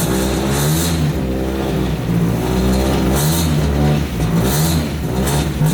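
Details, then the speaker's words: Project car ("Shit Car") just after startup, before warming up: an uneven idle that wanders and dips about every second. Leaks are suspected; once warm it idled better with no miss. Rough idle, cause not confirmed. "Still sounds atrocious. Try and make it sound any kind of better I can."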